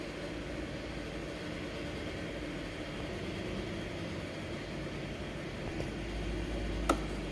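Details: Kymco Agility Renouvo Naked 4-stroke 50cc Euro 4 scooter idling, with an uneven rattling rumble from the transmission side and a sharp clack. Inspection found a broken variator and a torn drive belt.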